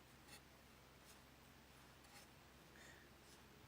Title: A/C idler bearing gone bad making noise. Was loose by touch.